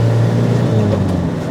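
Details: 1988 Toyota Hiace van bought at auction as a camper project, cold weather; loud steady drone while driving with a thin constant whine riding above it, source not yet pinned down.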